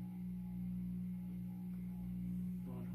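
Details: 52-inch Supreme Fan Mark III "Emperor" ceiling fan, salvaged from abandoned house: steady loud low hum with strong pure tone on low speed; owner suspects faulty variable speed control (dead section, jumps straight to high) may cause the noise.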